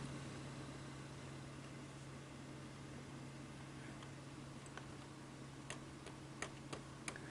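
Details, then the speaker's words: ED Beta VCR tuner after repair for no RF in or out: a soft, even static hiss under a low steady hum with light ticks, now audible where it wasn't before; the tuner seems to have come back to life. "but i can now hear the static and i could not hear it before"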